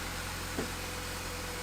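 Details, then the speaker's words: MINI R50 first start after gearbox and clutch work fixing a bell-housing rattle and gearbox oil refill: quiet, even idle hum, no clatter or grinding; clutch works, slight dragging sound at the back, normal idle. "And one thing I do love about the Minis, they just start, even if they haven't been used for months. First turn of the key and it works."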